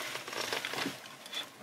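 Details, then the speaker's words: 2015 Hyundai Equus VS380, 200,000 km, driving slowly on a back street: light, irregular crinkly rattles from the seat in a quiet cabin. "시트에서 약간 잡소리가 나네 이때가 잡소리가나요"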